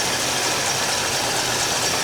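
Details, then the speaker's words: 1967 Chevelle 283 small-block Chevy V8 with hydraulic lifters and adjustable rockers, valve covers off, just after setting lifter preload (zero lash plus 1/4–3/4 turn); steady even idle, only faint tick, alternator louder than valvetrain: properly adjusted, quiet. "Not a whole lot of ticking going on. It's kind of neat to watch them. It really is kind of neat to watch them. Hell, the alternator's making more noise than the fucking valvetrain."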